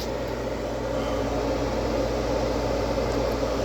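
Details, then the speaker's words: ICP/Carrier gas furnace after a blower motor replacement (old motor failed from normal wear), with a new filter fitted: the draft inducer runs with an even whoosh and no rattles. "but it is what it is guys my inducer is running and I got a brand new filter in there as well"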